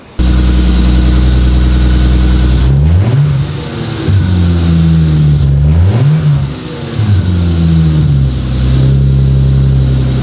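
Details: 2JZ-GTE twin-turbo swapped MKIII Supra, reassembled after turbo bearing/bushing failure with turbo blankets added: smooth idle with several quick revs rising and falling cleanly, no rattle, scrape or surge; sounds healthy.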